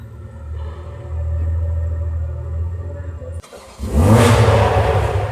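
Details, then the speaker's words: Toyota Supra (A90) with new GTHAUS GTC exhaust and catless downpipe, fitted after the exhaust valve flange snapped: deep exhaust rumble builds, drops off sharply, then a very loud rising rev pulls cleanly with no misfire or rattle; normal, very loud exhaust note. "Wow, that is GTHAUS exhaust with the catless downpipe. Insanely loud."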